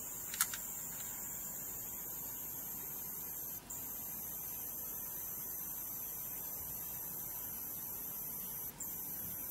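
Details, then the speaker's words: APC Back-UPS CS 500 while charging: thin, piercing high-pitched squeal, briefly cutting out, from the charger transformer, not the capacitors. "И вот пошёл этот противный писк Я надеюсь что вам слышно"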